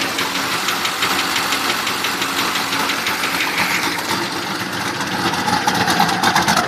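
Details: Fast light ticking of about three per second over a lumpy idle from a turbo LS1 V8 in a Datsun 260Z (S30), after a head gasket repair; owner suspects a bad lifter or piston slap.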